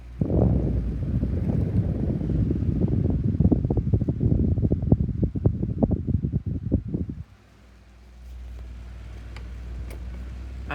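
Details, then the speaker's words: 1982 Micromark 12-inch desk fan running with a rough low rumble and uneven scratchy clicks from the motor, caused by bearings that have been bad for years. "but it sounds like you can hear scratching noises from the motor I'll start it yeah you can hear the scratching noises Kanye still is powerful Media it sounds awful"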